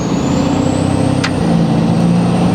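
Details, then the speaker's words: Ford 6.7L Powerstroke diesel with new 64mm Stage 2 turbo, accelerating on road: thin high whistle rising steadily above diesel growl, clean spool with no flutter or grinding; more responsive than stock. "Spool. Holy shit, it's so much more responsive too."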